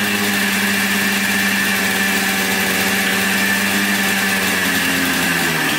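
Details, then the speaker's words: 1996 Yamaha Blaster 200 two-stroke quad after carburetor fix for flooding and wrongly positioned needle pin: steady, even raspy note without bogging or missing, revs out more and pulls cleanly; sounds fixed. "definitely revs out more give it that i think it's uh pulling on the throttle cable though sounds pretty good i think she's fixed"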